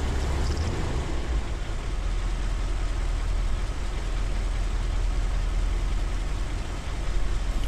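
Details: 1977 Corvette L-48 350 V8 with Quadrajet carburetor, after choke adjustment and tune-up: smooth, low, steady rumble with no misses or hissing; warm idle settled down to 750 RPM.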